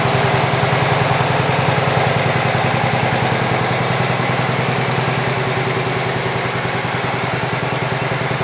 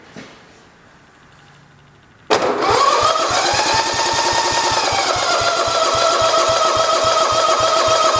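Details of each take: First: 1967 112 round fender single-cylinder engine after more work, carb mixture screw set about 1.5 turns out; putters at a steady, even beat, firing regular and smooth, slight smoking noted. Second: 1967 John Deere 112 round fender, electric starter cranking steadily about three or four compressions a second with a whine, never firing; fuel line pulled shows no fuel reaching the carburetor, needle possibly sticking.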